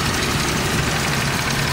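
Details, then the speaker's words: Car nearly warmed up at idle, before a timing light check with timing unknown: rough idle with light, fast clacking like marbles rattling, which the speaker attributes to a little reed valve; reed valve clatter. "That's a little reed valve here in the end. Sounds like a bunch of marbles floating around."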